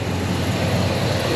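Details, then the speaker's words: 1968 Chevelle, freshened 383 stroker V8 with a Holley carb, at idle: deep, even rumble with a steady low beat and no knocks, ticks or misses. Engine sounds good. "engine sounds good. Just a gorgeous car, guys."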